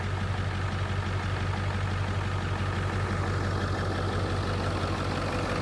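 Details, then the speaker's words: 1997 Ford F350 7.3 diesel restarted after water-in-fuel failure: deep, steady idle with even low thrum, no missing beats; earlier roughness clearing, owner suspects remaining water working through, not confirmed. "well I hope that cleans up I'm hopeful it's just getting the rest of the uh water out of the system we'll see oh she's already sounding better"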